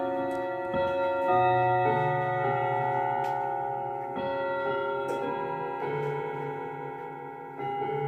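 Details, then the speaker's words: 1940s Manufrance box clock (1945–46) with a Girod movement, long pendulum and Saint Etienne rod chimes. A clear chime melody rings with several notes slightly flat and the strike a touch out of tune; the owner is unsure how to fix the flat rods. "And I was planning to do something about some of the rods being flat, but uh I don't really know how to change that."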